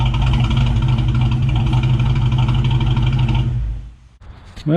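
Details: 1999 Mustang GT with Nemak block, first start after engine build: even, lumpy V8 idle with steady beat, no knocks or ticks, before shutoff; about 70 psi oil pressure, transmission line leak noted; normal idle.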